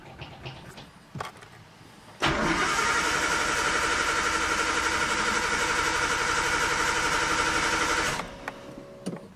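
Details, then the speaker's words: Nissan RB20 engine in a 240, after Audi R8 coil pack conversion and blow-off valve hose rerouting: starter cranks steadily about four beats a second, no spark, won't start; cause found to be water-damaged, shorted ECU. "I'm gonna try and fire up now I hope it fixes my problem no spark absolutely nothing"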